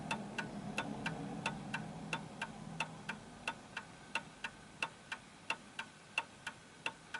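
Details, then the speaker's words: Vintage Napoleon hat Westminster chime mantel clock after pendulum beat adjustment: crisp, evenly spaced ticks about three a second with equal tick-tock gaps; clock in beat. "okay so there we go that's ticking away nicely"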